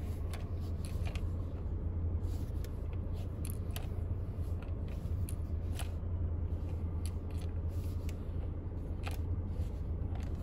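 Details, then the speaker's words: 2018 Chevy Equinox with the engine running. Turning the steering wheel brings irregular light plastic clicks, from something loose rattling behind the steering wheel cover. "so the first thing is when i turn the steering wheel you can hear something rattling around in behind this cover"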